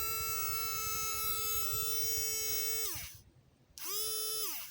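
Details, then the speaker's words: Battery air hockey puck toy (two alkaline batteries) that had been grinding with no airflow, opened up and tested: steady high-pitched motor hum winding down, restarting briefly, spinning down; no rasp, healthy small motor. "that sounds pretty healthy why is it growling"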